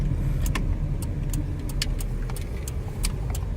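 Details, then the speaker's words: 2001–04 Chevy Optra during a right turn: steady low road rumble with no front-end clunking; the clunking was then traced to a broken or wiggling CV axle, not the strut as first thought. "Oh wow. I don't hear any clunking sounds anymore."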